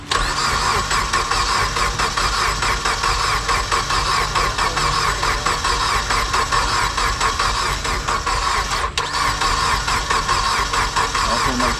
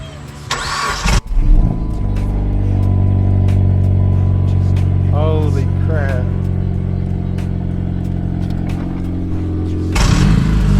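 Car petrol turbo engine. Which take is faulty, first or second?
first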